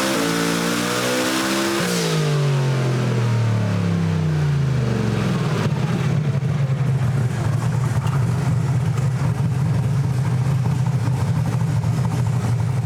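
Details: Camaro on a dyno making about 2,000 hp, turbo boost hit with 20 and dome pressure under 11 lb: big engine winds up hard to the top and holds a strong, even roar with no misses or knocks; a healthy full-power pull.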